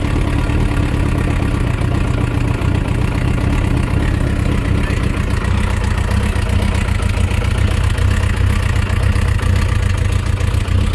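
Deep, rough idle with a dull, uneven tapping under the exhaust note that does not settle; there's a knock inside the engine.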